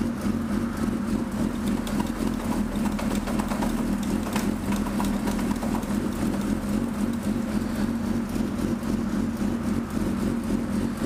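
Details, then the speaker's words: 2005 Suzuki GSX-R600 after the clutch cable adjustment was corrected: a steady, even idle around four beats a second, with no clatter or hang-up when clutched into gear and back to neutral; the clutch works properly. "Perfect. Throw it in neutral. We're good."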